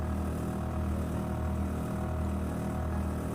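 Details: LG outdoor air-conditioner condenser unit, used for years, after tightening or loosening the screw on a brittle plastic cover that rattled: steady even low hum, normal quiet running, no rattle or buzz from casing.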